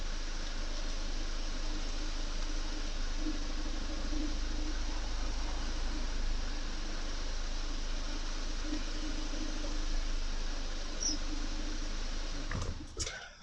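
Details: Audi with a newly fitted outer CV joint and boot, with the wheel turned gradually to full lock. Only a steady low cabin drone is heard, with no ticking or clicking, so the outer CV joint sounds healthy.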